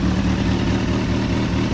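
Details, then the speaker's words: Kawasaki Z750 after replacing exhaust header sealing rings (same as Twister/CB300), which had caused a knocking tick-tick like engine knock; smooth, steady idle, even low beat, no ticking; noise gone, normal idle. "Vamos ligar para ver agora, hein? Ó, já parou o barulho, hein?"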